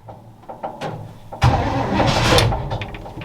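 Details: 1962 all-original Chevy C20 3/4-ton pickup, automatic, after long storage, choke fully on: uneven cranking with a few weak pops, then it catches, flares and runs rough; hard start.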